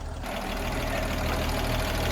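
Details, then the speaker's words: Car engine warming up on a small battery, possibly from a Bobcat-type small tractor: steady, even low idle hum with no knocks, misses or rattles; normal idle. "Anyway, I'll let that one get some fluids moving and some juices flowing. She's sounding good."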